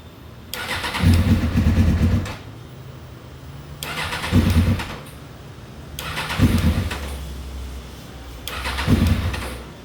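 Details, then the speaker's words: 2000 Suzuki GSX-R 600 that sat outside a long time: four tries in ten seconds, each cranking, catching briefly, sputtering and dying; water suspected in the fuel, entering through the sealed but vented tank; cluster shows nothing. "bike's been sitting outside for quite some time and unfortunately water does enter through here when they sit outside even though it's sealed it's still vented and"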